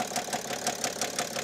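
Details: Cheapest BMW 7 Series diesel idling with drive belt removed to rule out pulleys: sharp metallic knock about six per second, essentially unchanged; owner suspects a bearing issue, likely inside the engine.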